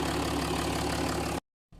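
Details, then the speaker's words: Jaguar XF 3.0 TDV6 diesel (limp mode, power loss, blocked DPF) after the intercooler intake was refitted and re-clipped to cure a boost leak: steady, even idle with no hiss or hunting. The boost leak is gone. "and the engine sounds much better we've not got no boost leak there"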